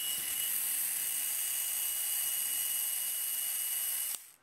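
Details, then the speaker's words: Small 1.5–3V DC hobby motor taken from a vintage TOMY toy, bench-tested on a direct supply. It whirs at high pitch with a harsh metallic grinding rasp from worn internal bushings and bearings. "so you can hear how noisy and like grind it sounds like metal grinding this motor is wearing down"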